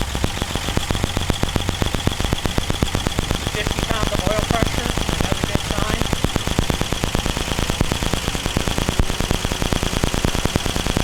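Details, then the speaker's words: 1949 Ford truck first start after fitting a new coil, a new distributor-to-coil lead and 12 volts to the coil: rapid, even popping exhaust at steady fast idle, no misses, a little smoke out the back. "oh that sounds so good a little bit of smoke out the back"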